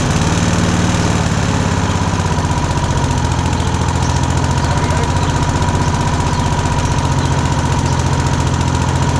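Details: Rover Combat mower on a completely cold start with choke: fast, even single-cylinder beat around four per second, smooth and steady once it settles; engine running normally.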